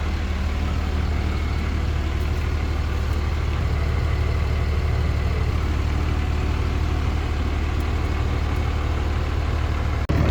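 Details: 2006 Dodge Ram 2500 5.9L Cummins diesel near operating temperature after new injectors, rail, lines and valve lash adjustment: steady even low clatter, no misses or knocks; normal warm idle, power and 50 psi boost restored afterward.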